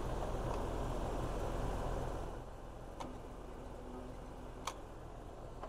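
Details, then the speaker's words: 2019 Lennox air conditioner that trips its breaker; locked compressor draws about 120 amps then 80-90, loud electrical hum from the condenser for about two seconds then clicks off without starting, before a compressor saver hard-start kit is tried. "this compressor is locked it's not starting so the only way I can try to pretty much jump start it with this compressor saver kit which will give it extra torque at the startup"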